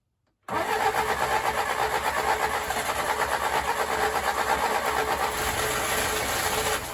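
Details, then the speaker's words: Willys CJ3A Navy jeep, first start attempt on a chilly morning after starter rebuild with new drive and sandblasted housing: starter spins steadily about three turns a second with faint rumble of cylinders briefly catching; has spark, cranking with brief firing. "that's exciting good sign um all right so it's got spark i heard a little rumble"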